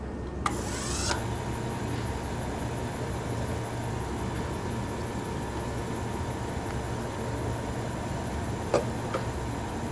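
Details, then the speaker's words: Restored antique Frigidaire W-5 refrigerator condensing unit during charging, no liquid circulating yet: low steady compressor hum with a thin, constant high squeak over it; cause unclear, owner suspects the suspension mounting. "Not sure what that little squeaking noise is it's making. I think it's got to do with the suspension more than anything."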